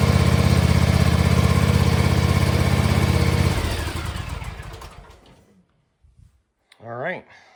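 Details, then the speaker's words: John Deere X590 mower after transmission drive belt replacement: small engine runs with an even exhaust beat, then shuts off and winds down; earlier ticking is gone, normal running. "You should be able to compare the before and after sound there, and the ticking is gone. So you just hear the normal engine sound and the sound of the exhaust."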